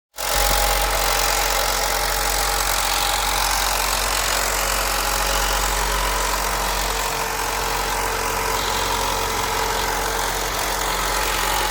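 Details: 2017 Alfa Romeo Giulia 2.0 Veloce turbo, 280 hp AWD, 60,000 km, cold start idle: a fine metallic rattle rides over the engine hum. The owner suspects the diverter valve.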